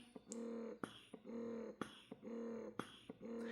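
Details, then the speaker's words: Momcozy M6 Mobile Style wearable breast pump in expression mode: even hum bursts about once a second, each long and drawn out with short quiet gaps; normal expression mode. "they are quite long drawn out, and that's for sucking out your milk once that letdown is in place."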